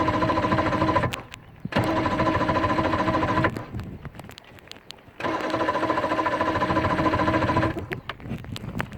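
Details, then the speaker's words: V4 Johnson 115hp outboard, after ground wire was changed: starter turns the engine in fast rhythmic bursts with pauses but it never catches; cranks but won't start. "okay so we're getting really turning it's turning a bit so that's a good start"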